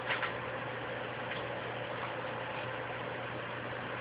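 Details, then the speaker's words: PlayStation 3 after Blu-ray drive remarry: steady loud rushing cooling fan roar with faint low hum; attributed to a loose RSX chip needing reflow. "And I don't know if you can hear that sound in the background, but this PlayStation has a loose RSX chip, so it has to be reflowed."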